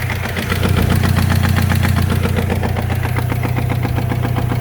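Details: 2006 Chevy Cobalt, 300,000 miles, with oil leaks: steady idle with a sharp regular knock of two or three a second over a deep rumble, worse when revved; the engine is bad and needs rebuilding or replacing.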